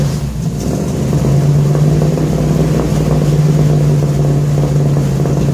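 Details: 1966 Ford F100 shop truck V8, first start after new headers and exhaust system, points ignition: low, steady rumble with small rise in revs and smooth, even beat; exhaust sounds good, engine healthy.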